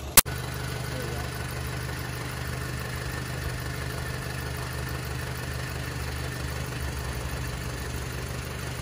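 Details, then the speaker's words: 2011 Volkswagen Tiguan first start after engine reinstalled with fresh oil and coolant, warmed up: quiet, even idle with steady low hum, no knocks or misses, though smoking a little; normal idle. "oh i think it's warmed up and it's idling now so it sounds pretty quiet guys it's running but it's smoking a little bit"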